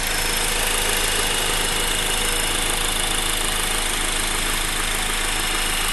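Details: Honda Accord direct-injection engine with timing chain, heard with hood open: even, fast light ticking over a smooth idle, steady with no knock or misfire; normal injector and pump clatter, engine healthy.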